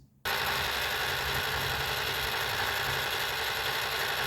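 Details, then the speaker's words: 1979 Mercedes 300SD (W116) climate control servo, wheel rolled back from hot to 65 degrees: steady, even whirring hum that stops cleanly; full range of motion takes about 20 seconds; servo operating normally. "Takes about 20 seconds or so to go through the full range of motion."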